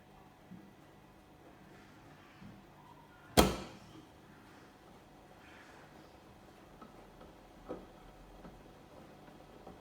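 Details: Sage The Oracle espresso machine banging a few seconds after switching on: quiet running with two sharp, loud bangs about eleven seconds apart and softer knocks between. The machine otherwise works; the noise began recently and happens 3-4 times.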